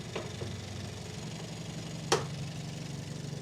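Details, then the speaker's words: Hyundai Elantra N idling after high-pressure fuel pump upgrade install: steady idle with fast even light ticking on top, the upgraded pump's clatter; normal high-pressure fuel pump ticking at idle. "And by the way, this will do such a big difference. Can you hear it? Hear the ticking, right?"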